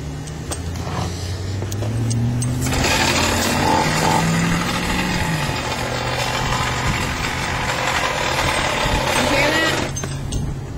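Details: Goped two-stroke scooter after head cover came off and spark plug possibly disturbed, won't go as fast as normal; high buzzy engine revs and holds with raspy whir, owner hears flywheel; power loss, cause unclear.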